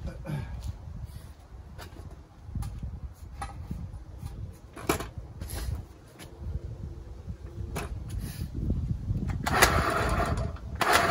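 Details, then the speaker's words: Honda Urban Express NU50 two-stroke scooter at first start after stuck piston and crank, idling unevenly with clattery loose rattle; very noisy engine needing a new bottom end, probably crank and bearings, suspected not confirmed. "yeah that engine needs completely rebuilt it's super noisy don't know how well you can hear it on the video"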